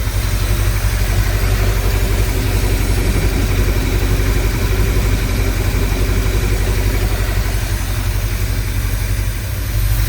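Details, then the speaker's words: Engine previously misfiring on varnished fuel, after new plugs and wires and carb cleaner sprayed over it: steady, even drone with a solid low rumble and no stumbles; misfire is gone, though the motor mounts are very worn. "And two, misfire is gone, thank God."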